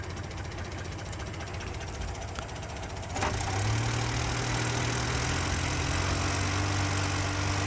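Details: Car that kept stalling, starting after the undersized, overheating coil-to-points wire was replaced with a thicker one: starter churns about three seconds, engine catches and settles into a steady, even idle with low rumble; runs okay now.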